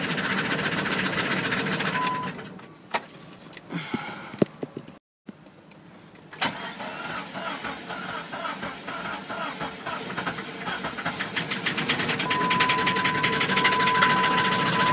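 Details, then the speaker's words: 2000 Jeep Grand Cherokee 4.0 inline-six at 262,803 miles, owner suspected a blown head: uneven cranking, a dropout, then a lumpy, ragged catch and run; engine sounds badly damaged, cause unknown. "Actually is trying to run. Maybe the head's not blown after all. Not sure here. Doesn't sound good. He's trying."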